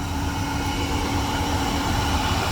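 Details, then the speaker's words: Rear differential bearings worn: loud steady humming drone heard near the differential with wheels spinning, first suspected as a wheel bearing or tires; transfer case also implicated. "Now if I go to the differential, hopefully you can actually hear it, but it's really, really loud. This differential's bad. The bearings are going out of it."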